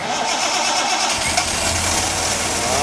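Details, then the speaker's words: 1973 Triumph TR6 barn find six-cylinder, dormant 38 years, cold start fed from an external gas jug, clutch cylinder removed: brief cranking then catches in about a second and settles to steady idle, hitting on all six. "Wow. Sounds good, though. Hitting on all six. He's hitting on all six."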